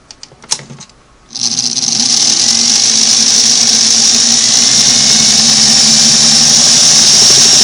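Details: Singer Model 513 sewing machine motor after motor belt replacement and adjustment spins up to a steady, even whir with a smooth hum; sounds healthy.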